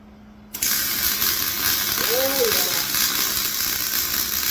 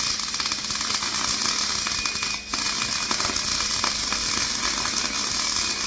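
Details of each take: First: MIG welding a flatbed for a 2006 short box Ford F-250 after turning wire speed up: short quiet lead-in, then steady even frying-bacon crackle; arc runs smooth, normal welding sound. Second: Welding a flatbed for a 2006 short box Ford F-250: uneven, crackly sputtering with pauses, no steady sizzle; wire feed speed too low, needs more speed.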